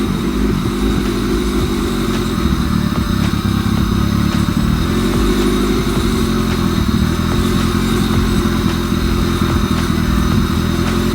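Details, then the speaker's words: 1998 Honda Civic EK with B-series swap, after installing new idle air control valve for bouncing and surging idle, just started and not yet at temperature: steady, even low idle without hunting or surging; quiet normal idle. "By far the quietest and weirdest start I've had to date."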